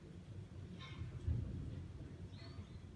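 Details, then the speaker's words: Bosch Classixx 6 Varioperfect washer with a motor fault, filter already cleaned: low, steady hum of the drain pump running dry with no water in it. "And if it does fill, I can hear a drain pump running. That's a good start, and it's running dry. There's no water in it."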